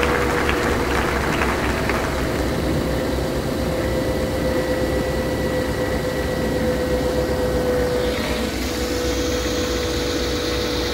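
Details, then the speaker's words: Engine just started after head gasket replacement, cold: steady even low idle, no knocking, misses or hiss, faint belt whine, quieter than before; owner suspects an exhaust leak on one side; normal idle. "so far it sounds quieter and i don't hear any knocking sounds like i got a leak on the exhaust on this side"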